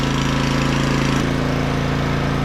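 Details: Small auction generator after cleaning the spark plug, fresh oil and fuel, air filter, started on choke: single-cylinder putters steadily, brief tone shift midway, then settles to an even idle; runs fine.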